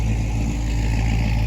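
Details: Normal running of a big-block V8 in a squarebody truck ("Brown Bear"), which was just started after a possible dead battery. A deep, even low rumble with a steady beat and no ticks or stumbles; it sounds awful good.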